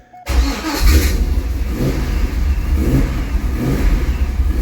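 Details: Corvette Z06 with a 6.3 stroker and A&A supercharger, after fuel pump upgrade, in neutral, about half a tank: catches at once, settles into a steady, slightly lumpy cold idle with good charging and oil pressure; normal start and idle.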